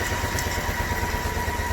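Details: Toyota Land Cruiser 80 Series with new engine, cooling system being bled after overheating: idle chuffs unevenly with skipped lumpy beats and shaky rhythm; misfiring and running rough.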